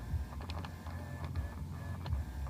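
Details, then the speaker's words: 2007 VW Passat B6 Climatronic: broken climate flap actuator motor behind the dash corner keeps hunting for a position it can't reach, giving irregular light clicks and short buzzing bursts while driving; disconnecting the actuator removes the noise. "so that's what is causing that noise so uh buy a new one in your Volkswagen stall and uh it should solve the problem"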